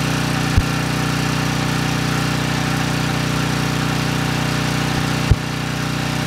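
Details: Briggs & Stratton Storm Responder 5500 W generator (model 030430A-00), previously seized engine, indoor test with fuel on the carburetor: constant, even drone at steady speed, no misses, knocks or surging apart from two brief clicks; runs healthily and makes power.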